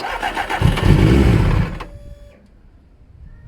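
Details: Salvage Triumph TT600 motorcycle on first start attempt, recently changed oil, no choke: the starter cranks in an even beat, and the engine fires roughly for about a second, then cuts out.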